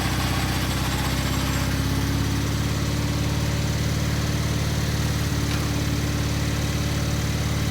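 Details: Gravely 50-inch mower deck after repair, running on the lawn with the lifter arm left off: a steady low engine drone and smooth deck hum with no knocking or scraping. Running normally; the deck grease still needs watching.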